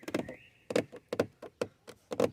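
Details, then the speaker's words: VW Passat B5 door trim panel giving sharp plastic cracks and creaks in quick bursts when pressed; the fix planned is to remove the trim and line it with felt-type anti-squeak tape. "как пластик трещит как сделать так чтобы она не трещала"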